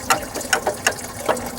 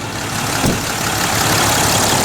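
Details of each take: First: 2010 Dodge Ram 3500 Cummins 6.7 diesel, belt pressure off, water pump shaft rocked by hand: sharp metallic rattles about twice a second from excessive shaft play, the same noise heard while driving; worn water pump, fourth pump being fitted. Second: 2010 Dodge Ram 3500 Cummins 6.7 diesel after a water pump replacement, at operating temperature after throttle snaps: loud, steady diesel clatter settles into an even idle with no misses, knocks or rattling. Healthy idle.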